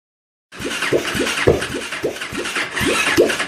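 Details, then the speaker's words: 2003 Honda Shadow VLX basket-case build, after a cut cable shorted and CDI was rechecked: steady starter churn at about two compression pulses a second, never catches; spark and compression present, cranked until out of fuel, owner suspects fuel. "We've been cranking this over for so long. It does really sound like it wants to start, but it's just not yet. And I think it might be due to fuel."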